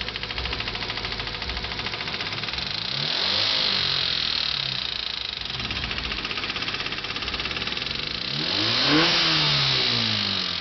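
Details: Honda Civic D15B7 engine at idle and revving: a regular light ticking rides over the idle and quickens as revs climb; clicking noise, cause unknown.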